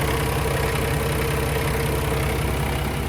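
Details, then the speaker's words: 2016 Kenworth T680 with a Paccar MX13 485hp and 13-speed manual, idling at about 100–110°F. The deep, even diesel idle has none of the camshaft ticking some Paccars show, and no blow-by was seen at the oil filler. Healthy engine. "Sounds perfectly normal to me. Good, healthy engine."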